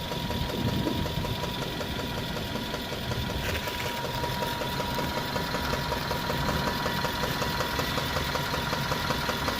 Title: ENGINE KNOCKING SUZUKI SWIFT 1.6 SPORT 2013 100K MILES CONROD BEARING PROBLEM...